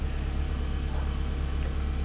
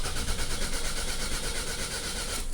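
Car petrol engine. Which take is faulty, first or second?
second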